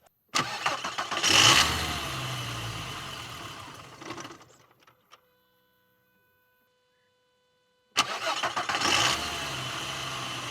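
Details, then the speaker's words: VW Golf Mk4 V5 petrol, 353,000 km, LPG removed, throttle body cleaned and resealed before VCDS adaptation: engine catches, runs about four seconds, sags and dies, then restarts with slightly rough idle; owner expects throttle calibration to fix it. "Okay, that was weird. The first time I started up, it immediately shut down by itself, but the second time was all right. There is a bit of rough idling, but I think once we calibrate the throttle body, everything will be perfect."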